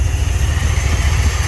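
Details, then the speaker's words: 1978 Ford F100 Cleveland V8 running on its own for the first time in about 6 years after the mud-clogged carburettor was cleared: deep, lumpy, stumbling idle like cylinders dropping out; owner suspects two plug leads broken during the spark plug change. "So it's inside and it runs under its own power, not very well. That is greatly because I think we broke 2 plug leads when I did the spark plugs on it."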